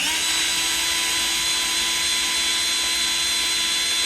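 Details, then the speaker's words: New Milwaukee M12 cordless grease gun priming a brand-new grease tube with an empty hose: steady high-pitched motor whine with clicking, no load change, pump still running dry; normal running, unprimed. "it may take a few more seconds because this is a brand new tube and nothing is inside the hose. I can hear it clicking now."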